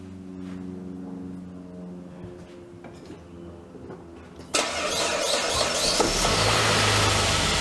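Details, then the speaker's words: 2003 Saab 9-3 convertible, first start after sitting six months: brief crank, catches at once and settles to a steady even idle, no misses or knocks; normal cold start, exhaust blew out seeds. "well that was quick uneventful that's how she usually starts up every year"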